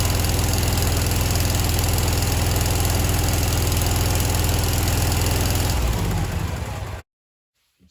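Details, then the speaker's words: Grasshopper 727KW mower, Kawasaki FD750D twin: uneven, lumpy loping idle, bogs and runs rough; pulling right plug wire changes nothing, so only one cylinder fires; coil and plug tested good; cause was clogged carburetor on that cylinder. "when we started this up and removed the um spark plug wire there's no change in operation it's running the same with this plugged in or not plugged in"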